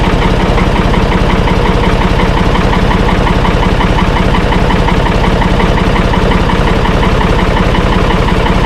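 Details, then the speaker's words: Ford tractor bought at auction, single-stick with no clutch pedal: it started easily and holds a steady, even thumping idle at a constant speed with no knocks or misses; it runs smoothly. "Well, it started started up pretty easy. They said it run, so that's good."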